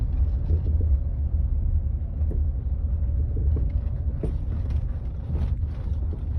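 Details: Land Rover Freelander 2 driving over asphalt joints and bumps: dull single thuds through road rumble every second or two; silent blocks, bearings, stabilizer link checked fine; rear shock absorber knock.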